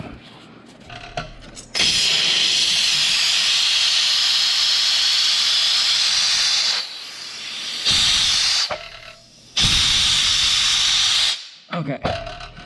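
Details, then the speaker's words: Craftsman oilless air compressor at 40 psi, newly fitted front drain valve opened: a loud, sharp hiss in bursts with a strong steady rush each time, draining condensation water from the tank; normal blowdown. "so that will let the valve drain okay so there's the craftsman air compressor new drain valve air valve put in to drain the water out of the tank"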